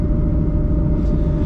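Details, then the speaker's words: V6 New Edge Mustang autocrosser with a G-Force T5, cruising in fourth gear (direct drive): steady low road rumble with a thin constant whine over it; owner attributes it to rear end noise, not fixed. "so it's nice and Silent if it weren't for the rear end noise I'm hearing maybe I'll fix that one day"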